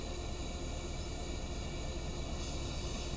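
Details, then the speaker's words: Vintage Tilley paraffin pressure lamp, restored after arriving in pieces, lit after preheating the vaporizer twice and about 40 pumps: a steady, even hiss that holds level throughout, with the burner running properly under good pressure. "I can hear it hissing away like a good one."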